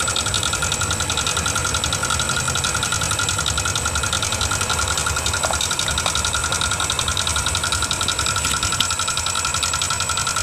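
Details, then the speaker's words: Fairly new Yamaha NMAX 155 scooter, CVT pulley and roller housing removed to rule them out: harsh, rapid ticking clatter over a steady idle from inside the engine's cylinder head; worn valve rocker arm. "suaranya cukup terdengar kasar pada bagian dalam mesin jadi di sini bisa kita katakan bahwa suara kasar itu berasal dari pada bagian mesin"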